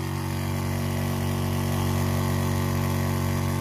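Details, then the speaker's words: Small water pump in a van's water system, drawing 0.6 A, 9 W, no leaks: steady, even low hum with fluid flow and no surges or stutters; somewhat noisy but running normally. "y a pas de problème dans la sortie de l'eau elle est fluide le bruit est constant là on entend pas d'AC coup ça fait quand même un peu de bruit"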